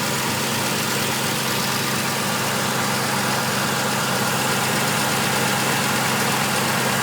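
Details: Car engine idling steadily with a constant, airy whistle over the running sound. The source is unidentified despite a new alternator pulley and a new idler pulley/tensioner.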